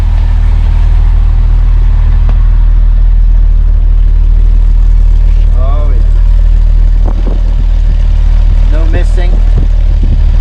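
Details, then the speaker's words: 1971 Mercedes-Benz 280 SE (W108) after cleaning and testing mechanical fuel injectors; steady even idle, smooth low rumble, clean throttle blips, no stumble; a little smoke, possibly running slightly rich: normal idle and rev. "see a little smoke here. Could be running a little rich. Tell you what, sounds good."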